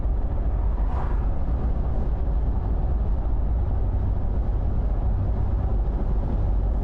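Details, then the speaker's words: Freshly rebuilt Toyota 80 Series Land Cruiser engine (cracked block stitched) at first start: brief stumble, then low steady rumble with no knocks, misses or ticking, settling to a smooth idle. "It had a little bit of a stumble there. Smoothed out, return back to idle. The thing sounds good, man."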